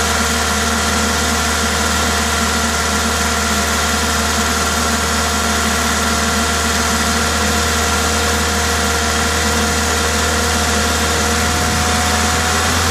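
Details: Toyota 2ZZ-GE engine with an induction kit: smooth, steady note with no knocks or ticks and a constant airy hiss from the open intake; normal engine running.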